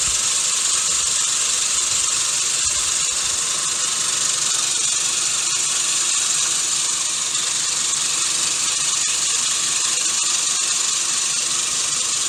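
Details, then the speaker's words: Gardena manual push reel mower being backlapped with 120-grit lapping compound, reel spun backwards by a drill; steady, even hiss and whir with no single blade knocking; even reel-to-bedknife contact. "so as it turns you can hear it's pretty pretty smooth even turn you don't hear one of the blades knocking and the rest being smooth it sounds good this one's lapping up nicely"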